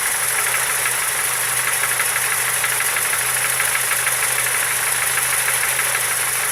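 A sharp, rapid ticking knock rides over the idle with a slightly uneven beat; there's a knock inside the engine, cause not pinned down.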